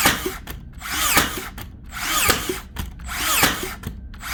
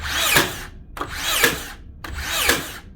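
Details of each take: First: Makita DBN600 cordless finishing nailer after repair for misfiring and not sinking nails: regular cycles just under one per second, motor wind-up ending in sharp snap, no dry shots; firing properly, retracting pin to load next nail. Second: Makita DBN600 cordless second-fix finishing nailer from 2021: cycles three times with a whir and snap each second, intermittently blank-firing without driving nails; the driver seems not to return far enough.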